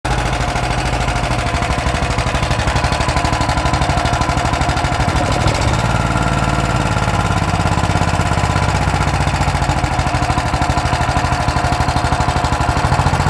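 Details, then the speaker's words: Auction Honda 15 HP engine, not yet mounted, running at low throttle: small single thumps at a steady idle with a slightly uneven beat and some clatter. It runs and doesn't sound too terrible; the starter sounds poor. Rough running, cause unconfirmed. "but hey it will run and it doesn't sound too terrible starter doesn't sound the Great"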